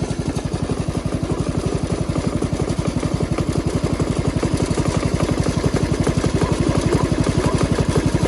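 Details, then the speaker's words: Jacobsen Chief 1200 garden tractor with Kohler single-cylinder engine, cold start, parked in forward gear, running to drain the carburetor bowl: steady, even putt-putt at about four firings a second, no misses or knocks; normal healthy idle. "I always like to just drain my carburetor ball so you guys get a couple of minutes to just listen to that Kohler"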